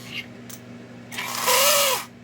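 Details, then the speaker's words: Lionel pre-war 1666E locomotive, first test run before restoration: thin whirring whine swelling and fading as the motor spins up in reverse; sounds dry and needs oil, though the E-unit cycles and both directions work. "as you can hear it needs oil but the eunit cycles and we have both directions so we got something to work with"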